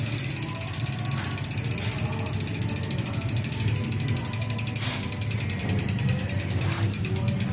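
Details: Ragusa XM500 hub, coasting: fast, even, loud ratchet clicking with no grinding or skipping; normal freehub pawl clicking.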